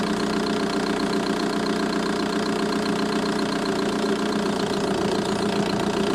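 Diesel clatters at a steady idle with a fast, fairly regular light tick, about four per second, over the engine note.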